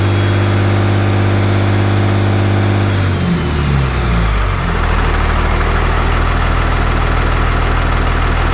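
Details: 6.7 Cummins diesel idling right after installing a Fleece 10mm stroker CP3 injection pump; no leaks seen. Deep, even idle with a steady low rumble that dips briefly, then settles smoothly. Normal idle.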